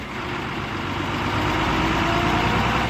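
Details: Tata 3118 BS4 Cummins diesel with SCR after injector repair, previously knocking and smoking: even idle about three and a half beats per second, no tapping or knock; sound changed, smoke partly controlled, healthy.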